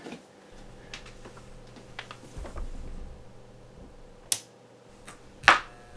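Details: KRK Rokit 5 Gen 2 studio speaker powering on: quiet, then a sharp big pop at switch-on, slight hum and crackles, smaller pop at switch-off.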